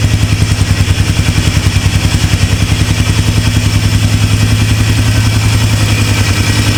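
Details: Polaris Trail Boss 330 ATV (2004 or 2007), sat a couple of years, hours unknown, runs after reassembly with steady even thumping at idle and no misses, knocks or rattles; running normally.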